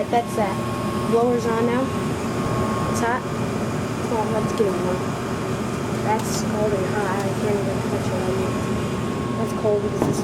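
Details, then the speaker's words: York Diamond 80 gas furnace from 2000, 90,000 BTU input and 80% efficient, starting up in heat mode after the inducer and burners: a steady, even rush of air with a low hum and no rattles or squeals. The blower is normal. "so we'll listen for the blower which sounds really cool and Hope that sounds very cool"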